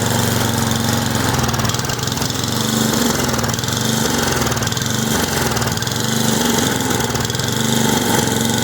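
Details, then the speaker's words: Simplicity snowblower after carburettor rebuild, cleaning and adjustment, coil and flywheel cleaned, plug cleaned and gapped, new fuel and primer lines: even buzzy small-engine drone at steady speed, no stumbles or surging; normal running. "It sounds like it's running pretty good."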